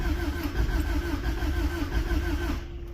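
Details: Old 7.3 IDI-swapped truck in snow after gas was poured in the tank and cold-start ether was sprayed: three seconds of uneven cranking with no catch, as it waits to pull fuel. A terminal may be grounding on the brake line; cranks, won't start.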